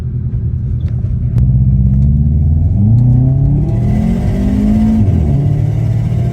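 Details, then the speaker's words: Automatic car, estimated around 280-300 wheel horsepower, heard while driving. Deep, even rumble rises and falls smoothly with throttle, with no knocks or misses; a healthy engine running normally. "Um, with the setup it's got, it's comfortable, sounds good, makes all the right sounds with the external and the exhaust. Just a just a solid daily."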